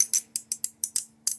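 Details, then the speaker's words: 2019+ Acura RDX with the sunroof wind deflector lifted out and handled: sharp light plastic clicks in quick uneven bursts. The deflector's material rattles loose in its channel, the source of the sunroof rattle complaint. "hear how that is sounding right there so i get the camera that's exactly the sound that we were having"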